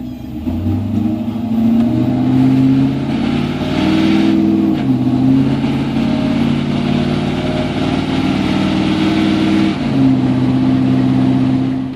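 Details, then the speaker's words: 5.3L LS V8 (165k miles) with 4L80E in a 1987 Chevy R10 truck, revving up and down over a fast rattly chatter; first blamed on lifters, found to be two hand-loose torque converter bolts. "we assumed it had to be something in the transmission fly flex plate torque converter area so I jumped under this morning sure enough two torque converter bolts were loose hand loose"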